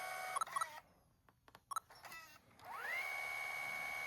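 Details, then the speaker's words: Sony HDR-HC3 HDV camcorder after a repair that required taking the tape transport apart: after a few button beeps, a smooth motor whir rises to a steady high tone with no clicking. The clicking before the repair was bad; the transport now runs silently and normally. "And the thing I love to hear, no clicking sounds no more, because before it was pretty bad, I will say that. But now it's nice and silent and back to normal."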